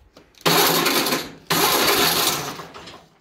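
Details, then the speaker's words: Cub Cadet mower with a 2021 battery, after replacing the starter solenoid for a click-only no-crank, cold weather: two strong, brisk, even cranking bursts without clicking; normal cranking, almost started. "so just so you know the heat is on it is cold outside i'm not gonna fire it up we're gonna see that the engine actually turns over"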